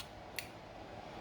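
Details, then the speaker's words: 1979 Lotus Esprit with new custom wiring and fuse box, horn button pressed: two sharp light clicks about a second apart in a quiet room from horn relay; horn relay pulling in normally. "The horn, I'm going to try the horn. Horn is right here. So when I push it, I hear the relay."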